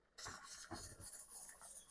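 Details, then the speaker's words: Jiggler-weight pressure canner with 5 lb weight plus one added 5 lb weight, at 10 lbs pressure, gauge confirming, canning fresh asparagus; uneven hissing puffs as the weight rocks and vents steam, normal weight jiggle at pressure. "Can you hear that? That's the jiggle jiggle hoola hoola. That's what we need to hear. That's it. So we've as our backup, we can see we're at 10 lbs pressure."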